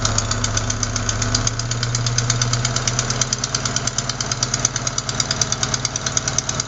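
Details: Sharp puffing tick about three per second over steady idle: exhaust manifold gasket leaking at cylinder 4, not lifters or rockers; replacing the gasket fixes it.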